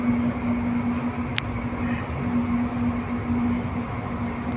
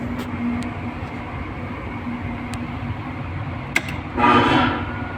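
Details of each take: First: 11 kW AHU blower motor that won't start, high current: loud steady strained hum with no run-up; single-phasing, only two of three phases passing through the defective soft starter. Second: 11 kW air handling unit blower motor after replacing the defective soft starter, run with belt fitted: steady low hum with even rush of air, no knocking, rubbing or grinding; running smoothly.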